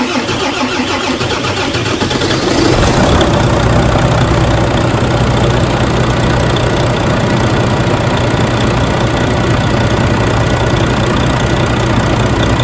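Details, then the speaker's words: Volvo FH460 D13 diesel truck engine being re-repaired after a failed overhaul 30 km earlier, pistons decarbonized: short crank, catches about 2.5 s in, steady even idle, no knocks or misses; pressure normal; normal start and idle. "Так, запуск произвели, давление там в норме."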